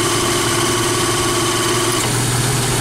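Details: Jeep Wrangler YJ without factory AC, fitted with a belt-driven onboard air compressor on a new idler pulley and serpentine belt, cutting in at 95 psi and out at 125: steady even idle with the compressor pumping, tone settling lower as its clutch releases; normal.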